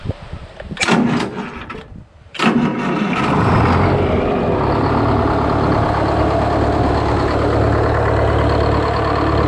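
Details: GM 4-71 two-stroke supercharged diesel, about 160 HP, probably 50–60 years old, powering a Frick sawmill, started off a portable jump-starter pack after sitting a couple of weeks: brief cranking, catches, settles into steady, deep, even idle; normal start and idle.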